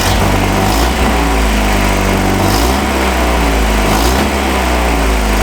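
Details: 1986 Toyota 4Runner, after interior and engine harness rewiring (it had failed to start): revving shows a steady, even note with smooth rises on throttle, no knocks or misses; engine sounds healthy.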